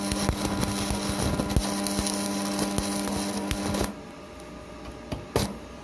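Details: Strat 160KS welding inverter, 2 mm gap, 2.5 mm electrode: a steady low hum under the crackling arc that cuts out when the arc stops; it hums under load but welds.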